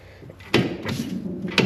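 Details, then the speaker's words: 1980 Corvette strut rod, aftermarket adjustable rods with poly bushings fitted under six years earlier, near the exhaust by the differential: rod worked by hand gives two sharp pops as the bushing collapses and debris falls out. "You hear it popping, and you can see stuff falling out as we go. So you can see the bushing actively collapsing in there as we"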